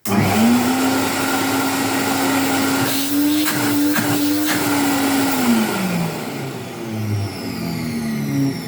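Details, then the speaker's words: 1973 Hoover Constellation cylinder vacuum, almost 50 years old, first power-up with its barrel-type suppressor still fitted; the motor spins up to a steady smooth whine and winds down, and the bearings sound good with no grinding. "you know what that sounds really good even the bearings sound good which is fantastic"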